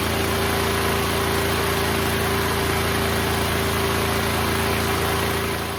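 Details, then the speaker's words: Neglected Duromax XP12000EH dual-fuel 12,000 W generator, pull-started because of a suspected starter or solenoid fault: an even, steady engine drone with a constant mid-pitched hum and a regular beat of about four per second. It runs smoothly; output voltage is not yet checked. "So the generator is up and running, but now let's check if it's producing the right voltage."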